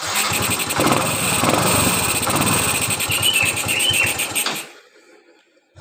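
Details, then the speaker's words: Yamaha Mio Z (Mio M3 125) injection scooter that stalls at low throttle, restarted after throttle body cleaning: fires and runs with an uneven, hunting beat about four seconds, then drops away; idle won't hold steady; unsettled idle. "Kalau untuk hidup sih hidup ya, cuman langsamnya tinggal yang masih gitu loh."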